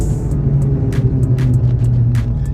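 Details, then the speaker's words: Classic Chevy square body truck on a test drive, coasting off the gas: a steady low hum-whine under road noise. Not the driveshaft; the rear differential pinion has come loose or its bearings have failed. "I think here's our problem right here. The issue is not the drive shaft, the issue is in the rear end. It looks like his pinion has come loose or the bearings have failed."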